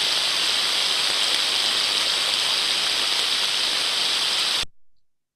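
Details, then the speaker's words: Ultrasound on the drive-end bearing of one of two like-for-like motors at 30 kHz, reading 29 dB (the baseline): smooth, uniform hiss with no crackle. The bearing is healthy but sounded slightly dry and could be improved by lubricant. "smooth and uniform now in my opinion with my experience the bearing sounded a little bit dry and I think this sound could have been improved by applying some lubricant at the time but we can still see a smooth uniform pattern of sound"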